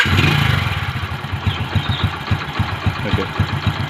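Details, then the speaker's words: Single-cylinder bike engine idling evenly at just under four soft, steady thumps a second, no knocking, after an engine flush and fresh oil filled to the maximum level; sounds healthy, expected to run smoother. "ஓகேவா, இப்போ நம்ம வண்டி start பண்ணாவே கொஞ்சம் sound டிஃப்ரெண்ட்டாக இருக்கும். வண்டி ஓட்டினா தெரியும் உங்களுக்கு, அந்த ஸ்மூத்னஸ் க்ளீனாக இருக்கும்."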